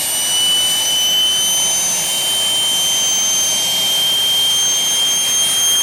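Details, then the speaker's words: Homemade propane-fuelled gas turbine jet engine built from a turbocharger runs on its own after start-up, with a steady high-pitched roaring whine and no surging or sputter; normal running. "all right now once when we have the engine started once it's sustained you can turn the air off and the igniter off because the propane underneath will stay lit"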